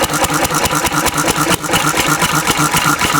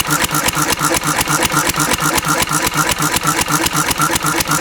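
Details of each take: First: Antique Cushman Cub 3hp four-stroke stationary engine on about 90% Zippo lighter fluid: single-cylinder thumping at a steady fast beat with a rough, loaded edge, backfire and black smoke; running rich, close to flooding, needs less fuel than gasoline. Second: Antique Cushman Cub 3hp four-stroke throttle-governed stationary engine running on about 90% Zippo lighter fluid: steady single-cylinder thump at about two beats a second, even with no misses; normal governed running.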